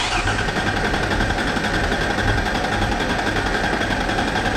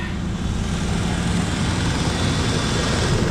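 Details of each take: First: 1994 Mazda B3000 with swapped 4.0 OHV: steady fast cranking about four turns a second, no firing; fuel and spark present, injector pulse later confirmed, cause found to be water-contaminated fuel. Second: 1994 Mazda B4000 4.0 OHV V6, manual, started after sitting for months before being pulled for a swap: briefly sputtery, then clears to a deep, even rumble with no miss or knock, steady idle; a good running motor.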